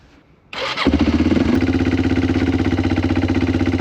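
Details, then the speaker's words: Circa-2000 Yamaha Timberwolf 250 4WD ATV after a steering repair: catches after a brief crank into a steady, even single-cylinder idle at about four pulses a second; runs normally, though the carb idle might need adjustment. "all right well that is just awesome it seems like that carburetor the idle might could use a little bit but it goes through all the gears it seems to be a pretty nice machine"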